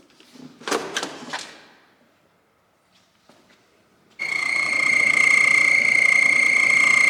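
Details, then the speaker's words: BMW E30 heater blower: steady high squeal rising as the fan spins, the part making the ventilation squeak; typical of dry, slightly seized bearings. Blower fan bearing squeal. "bon du coup c'est cette pièce là qui fait du bruit quand elle tourne"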